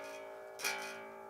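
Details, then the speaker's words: Explorer bass with a Hipshot tremolo, tuned down a half step (C#/F#): a plucked low note rings with a thin rattling sizzle, fret buzz because the bridge sits too low and needs raising. "it's buzzing so I'm just gonna get the reason why I wanted in tune for the tuning that I'm gonna be in is the the tremolo the springs counteract the tensio"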